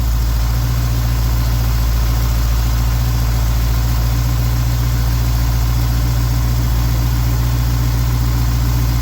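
Deep, steady, even idle rumble with no misses or stumbles; the carbureted V8 is idling smoothly.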